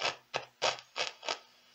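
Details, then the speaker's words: Meteoro Atomic Drive 20W amp at full volume: short scratchy crackle bursts about a third of a second apart; suspected dirty potentiometers, with the amp found very dirty inside. "vamos para Atomic drive com defeito bastante característico de problema nos potenciômetros alimento o aparelho liga e temos esse ruído"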